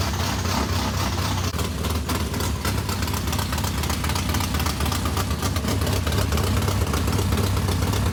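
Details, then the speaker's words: Race modified V8 first start after months of work, new Edelbrock fuel pump: deep lumpy idle with about four even loping pulses a second; healthy idle, water pump gasket leaking on passenger side. "well how about that it runs"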